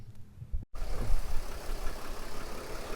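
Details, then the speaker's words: 2007-2010 Mercedes Sprinter NCV3 diesel idling on a test run after reseating the separated turbo resonator and intercooler pipes; before, air was audibly escaping; now a steady low rumble with no hiss, sounding significantly better. "that sounds significantly better we went to look at it it sounded like there was a lot of air escaping and I think that pushing the resonator pieces together really helped quiet it down"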